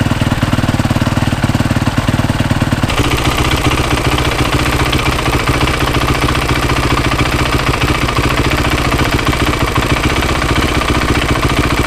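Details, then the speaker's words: Freshly rebuilt Yamaha YZ450 single, kick-started after sitting two to three weeks: normal low cam rocking noise with a sharp high-pitched rapid tick on top of the idle; a worn, stretched timing chain, later replaced. "but know this tick that's not normal that sounds too different that's what I'm dealing with"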